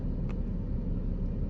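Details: Engine at a smooth idle with a low, even rumble and no stumble or skipped beats. The cylinder 3 misfire was fixed by replacing overheated spark plugs, and no pending or stored codes remain.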